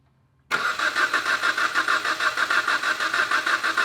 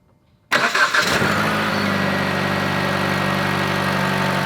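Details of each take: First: 2011 Jeep Patriot, rewired after an accident, ASD main control circuit code: starter cranks at roughly three beats a second with an uneven, lumpy rhythm and never fires; crank no start, dead or weak cylinder suspected. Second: 2011 Jeep Patriot, previously rewired after an accident, new relay box and starter, that cranked but would not fire: short crank, catches at once and settles to a steady, even idle before shutoff; starts normally after power and relay checks.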